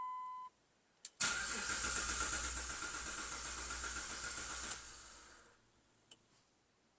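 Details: 2006 Jeep Liberty six-cylinder with misfire codes P0300/P0305 and a suspected sticking cylinder 5 injector, first start after injector work: a short beep, then brief cranking, a clean catch and steady running for a few seconds before shutdown; healthy start.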